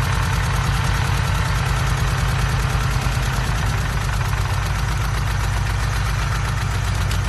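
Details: Forged Z20LET four-cylinder turbo engine on first start-up: loud, lumpy idle with an uneven beat and a recurring stumble rather than a steady pulse; running with a misfire.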